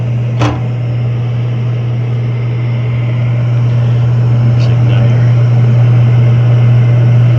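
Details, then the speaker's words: Horizontal roof-vented propane warm-air furnace in a commercial office attic, error code 7 (ignition lockout after retries): steady inducer hum with one early click, no burner whoosh; hot surface igniter not glowing, found broken and open, no gas. "there's not glowing at all it's no gas let's shut that down"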